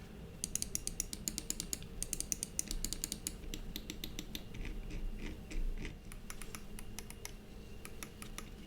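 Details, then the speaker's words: Cooler Master MM710 53 g lightweight mouse button sound test: crisp, sharp clicks in quick bursts, side buttons slightly more hollow; every button snaps cleanly, nothing sticky or rattling, normal clicks. "again that stores a sound test right there it's not bad it sounds very nice and crispy the side button sound a little bit more hollow I guess you'd say"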